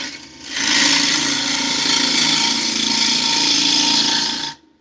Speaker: Can you hear the difference in that tone? That is tear out happening.